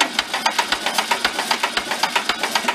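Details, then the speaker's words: Barn-found circa-1973 VW Karmann Ghia, out in the light for the first time in about 31 years, compression test on number one cylinder with carb cracked open: slow cranking, even puffs about seven per second tapering as battery runs low. "battery's going low on me it's saying 50. but it's spinning slow"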